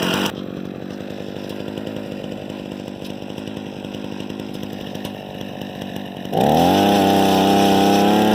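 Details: Harbor Freight 67414 ice auger two-stroke after bolt-on replacement carburetor, started with a drill: settles into a steady idle pulse, then snaps cleanly to a smooth even high-speed whine; running normally.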